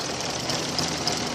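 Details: 2000 Toyota Avalon running lean, stalling, no power, new mass airflow sensor: uneven idle with ticking sputter about three times a second and hissy top, near stalling; owner suspects fuel or spark, corroded coil, unconfirmed.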